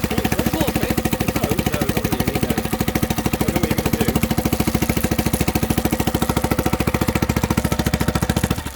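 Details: 2006 Honda BF5A 5 hp four-stroke outboard, unused 2.5 years, started with new fuel line: crisp even single-cylinder putter around three and a half beats per second, steady with no misses; running cleanly.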